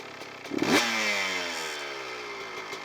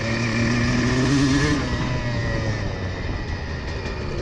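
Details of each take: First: CR125 two-stroke with the carburettor air screw turned out to about three and a half turns: a sharp throttle blip, then revs fall slowly and hang high before settling, with a thin, zingy throttle response; idle mixture too lean. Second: CR125 two-stroke: clean, steady buzz through the midrange revs, easing off smoothly without burbling or stutter; much better, cleaner running with correct jetting, though it is not meant to run perfectly at midrange.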